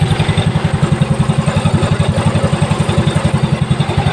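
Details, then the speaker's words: Mio Soul i scooter idling after a new cam chain tensioner is fitted. Steady, even low thump with no cam chain slap or rattle; the engine is now very quiet. "Ayan na naandar na yung makina niya no Ayan na napakatahimik na wala ng ingay na"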